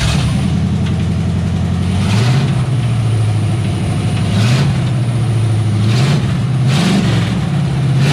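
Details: Freshly rebuilt 350 small-block Chevy in a 1989 Chevrolet K2500, revving: deep V8 with heavy metallic knocking growing harsher each rev; metal in oil and a nut found in cylinder 8, owner first suspected a bent pushrod.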